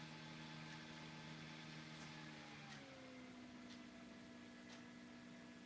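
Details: Motor driven by a newly soldered homemade motor controller board during slow-start setting tests: a quiet, steady electric whine that steps down in pitch, then holds even. The motor runs smoothly.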